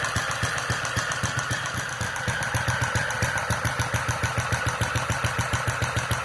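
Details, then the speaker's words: Centaur model engine (Westbury design, open-crank horizontal cylinder), electronic ignition and fuel injection, running around 900 RPM while still cold, mixture not centred yet: crisp, evenly spaced firing with steady mechanical clatter, running smoothly. "That's running very nicely. When it's up to operating temperature, you can leave the mixture exactly in the middle and it works perfectly, but right now, yeah, it's still cold, of course."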